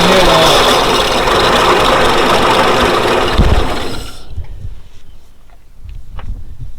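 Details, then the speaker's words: 1940s Dodge military-turned-fire truck after about 30 years sitting, temporary coil setup: engine catches and runs rough with a quick repeating deep knock for about four seconds, then dies; owner suspects a bad bearing. "Thing idle. Definitely sound like we have a bad bearing up in"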